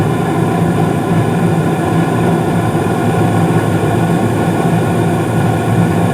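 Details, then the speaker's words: Carrier furnace's first startup of the season, with two zones' dampers opening; steady low roar from the inducer and burners running evenly, no bangs, rattles or delayed ignition: normal furnace startup. "so you may hear a couple of clicks from the zone dampers as I'm turning this on because I'm gonna turn on one zone and then turn on the other"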